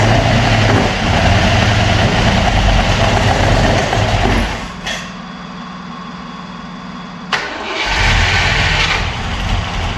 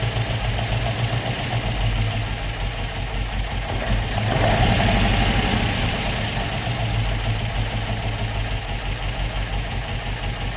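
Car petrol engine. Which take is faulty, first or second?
first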